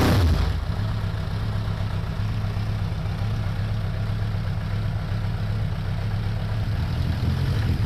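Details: 2002 Suzuki Bandit 1200S four-cylinder after fixing a vacuum-port leak: low uneven lumpy idle instead of a smooth four hum; still dropping cylinder number three, spark present, no fuel, number three carburetor likely at fault.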